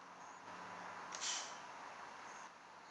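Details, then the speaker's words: Jasman Air Jammer toy car, which has an air leak and does not work; turning the wheel by hand, the cam pushes the valve and a short sharp hiss of air escapes: air released through valve. "so that as it goes round it pushes that valve that allows the air to come through. So, can you see in there? As I turn it round, you'll hear the air come out."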